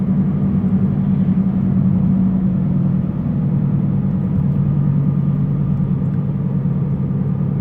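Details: Car driving, front driver's side: steady low droning rumble, louder on acceleration, with the steering wheel shaking; owner suspects a bad wheel bearing, not confirmed.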